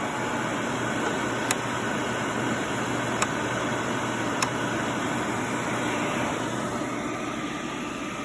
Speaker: But as you can see, it works, or you can hear it work.